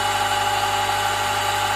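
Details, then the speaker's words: Honda power steering pump at idle: a steady mid-pitched whine over a low engine hum that rises and falls with throttle. Possible causes named are worn pump bearings or seals, aged hose seals, or the high-pressure hose; not confirmed. "不管是嗡嗡嗡嗡嗡还是有一个很明显的特点，就是随着给油的大小，声音在不断的大小变化。"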